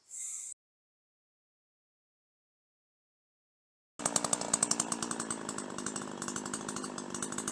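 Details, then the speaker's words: Two-stroke chainsaw lifted out of the cut at full throttle under light load, with an uneven burbling pulse: normal, healthy four-stroking of a slightly rich tune that should still clean up and run smooth in the cut. "But if you lift it out of the cut under less load and full throttle, you want to hear that four stroking every time."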